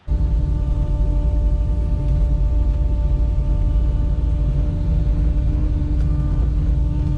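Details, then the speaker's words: 1971 Chevy Nova with LS swap: steady high whine from the external electric fuel pump over the V8 idle, loud because it's mounted on the back of the fuel-tank strap; later replaced by a quiet 450 lph Tanks Inc. in-tank pump. "Probably about 50 to 100 people pointed out to me that the fuel pump is loud."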